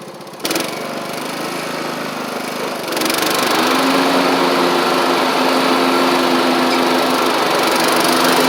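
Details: Troy-Bilt Horse XP on a new replacement engine, cutting passes; it didn't want to start that morning. Fires up and settles into a steady, even high drone holding speed as the 46" blades take load. Healthy normal running under load.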